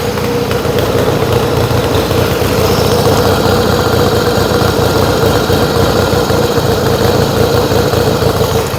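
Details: Yamaha XS1B twin after carb rebuild, dead-cylinder tune and throttle screws set for about 1000 rpm idle, airboxes back on; steady even idle, no misfire or hunting, both cylinders pulling evenly, healthy.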